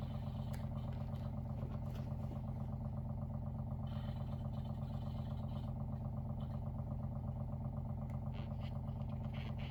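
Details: WaterFirst Dr.Water Y countertop 5-stage reverse osmosis purifier, new, first setup, filtering with bubbles rising (normal): even low motor hum with steady fast pulse, no knocks or grinding; normal pump operation.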